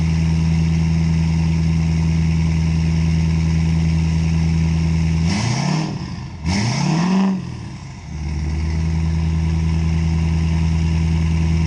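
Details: 2017 Ford F-350 6.7L diesel rebuild, no intake fitted, five-inch straight-piped exhaust; deep loud even idle with two throttle blips that settle cleanly to a steady rumble: normal idle.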